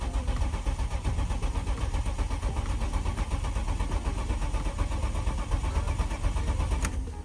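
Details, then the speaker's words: BMW E36 coupe with its cracked, dry-rotted fuel line replaced by copper and new rubber lines: the starter churns at a steady, quick rhythm for several seconds without firing. Crank-no-start because a connector was left unplugged. "Make sure to uh plug plug your stuff in cuz it is not going to work without that being plugged in."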